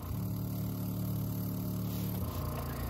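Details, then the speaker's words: Steady low electric hum for about two seconds, then stopping, as a newly installed fuel pump primes at key-on on an Innocenti S Spyder, first time running from a tank outside the engine bay after carburetor work; normal fuel pump priming. "let's turn on the ignition it's turning the pump on"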